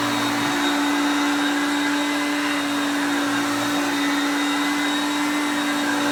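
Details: Hoover Concepts self-propelled vacuum on luxury carpet with the drive engaged, moved back and forth; motor pitch changes as the gears change. Steady, even motor hum with a constant high tone and airy rush, no rattles or surging; normal running.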